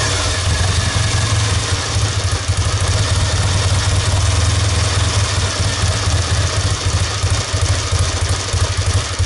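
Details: 1969 Triumph Daytona T100R 500 parallel twin on newly fitted Wassell (Vape) electronic ignition, barely warm, no choke: deep, steady idle throb with even firing and no stumbles or misfires; engine running healthy.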